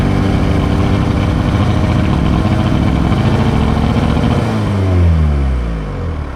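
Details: 1986 VW Golf with swapped 1.9 TDI ALH, mechanical Bosch VE pump, Garrett T25 turbo: irregular stumble as revs rise and fall off load; misfire at certain revs at light/no load, worse in winter, cause unknown.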